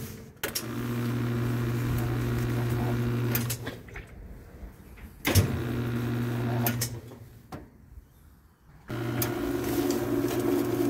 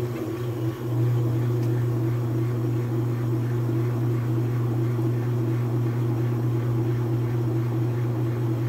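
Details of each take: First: Whirlpool/Kenmore washer on spin: motor hums steadily in bursts but only the agitator/transmission center turns, tub never spins up; technician suspects worn clutch or bushing slipping; no spin. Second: Whirlpool/Kenmore washer that would not spin, after a clutch adjustment and greasing the bushing (temporary fix, estimated to last 8 months to a year): steady low hum, even water rush, smooth constant spin with no knocking or slipping.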